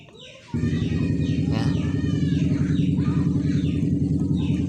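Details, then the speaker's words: Honda Beat scooter, drone loudest at high rpm while riding: steady low humming from a worn, water-rusted bearing at the very front of the gearbox. "le problème est dans les roulements celui-ci tout à l'avant"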